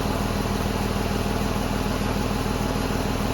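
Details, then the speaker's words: Ford Escape 3.0 idling after alternator replacement, running about half an hour under load: steady, even idle with no knocks, ticks or whines; alternator charging well and battery light goes out. "But as far as the alternator goes, everything seems to be charging up good. Sounds good."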